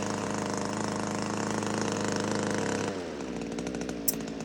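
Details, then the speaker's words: Power PRO24CCHTA 24cc petrol hedge trimmer after carburettor replacement (blockage caused intermittent revving at full trigger): holds high even buzz without surging, settles cleanly to lower steady speed; running healthy. "it's working fine now the problem was with the carburetor there's a blockage in it somewhere or something wor in it somewhere it was cheap enough $899 so I thought I just replace it and let me show you the revs so you got solid rev there"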